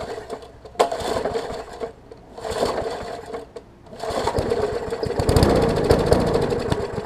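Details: Murray 20-inch 3.75 hp push mower, long dormant with freed stuck intake valve, first run after repeated no-starts, old oil still in: single-cylinder coughing and picking up unevenly, lumpy firing settling into rough slow run at low rpm.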